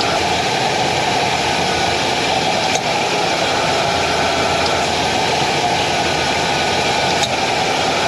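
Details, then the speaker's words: 2000 Ford F-250 5.4 L V8 (engine about 3 years old) after new injectors, spark plugs and coils: very smooth idle with almost no vibration, even exhaust note, no misses; ran slightly rough at first, smooth after half-hour drive. "okay so you can hear how smoothly it's running very very smooth almost uh no idle vibrations"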